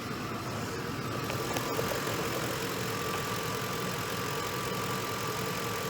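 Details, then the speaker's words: Ford F-150 3V V8 after bearing refresh rebuild: smooth, steady idle with no knocking, ticking or misses, no check engine or warning lights; normal idle, starter suspected for separate issue, test drive pending. "it's running good there's no check engine lights there's no lights whatsoever"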